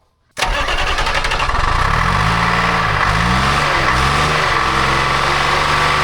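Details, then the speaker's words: Telehandler swapped to Detroit Diesel 353 two-stroke, suspected algae/contamination in fuel, after refitting and rebending a fuel line: cranks and catches, revs surge and sag, won't hold idle; cause not confirmed, fuel line blow-back planned. "Guess we'll fire it up. See what we got. You still don't want to idle."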